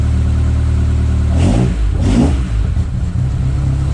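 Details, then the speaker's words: Mk1 Escort Pinto engine converted to Jenvey DCOE 40 throttle bodies with a MaxxECU Street, first start, stone cold: a deep, lumpy idle running very rich, after earlier running lean and popping through the inlet. "So yeah, we're actually quite rich. So we were early on. It was very lean. It was popping through the inlet. Now it's very rich. But that said, we're very, very cold."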